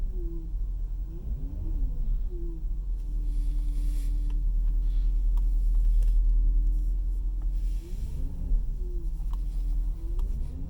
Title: Cayenne turbo whining noise